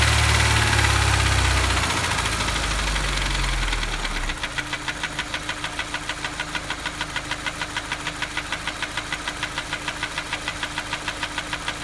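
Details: Honda S2000 petrol engine at idle: sharp steady tapping about three times a second, unchanged after replacing cam chain tensioner, cam sensors, gaskets, checking bearings, compression, valves, cams and setting valve gaps; cause still unknown.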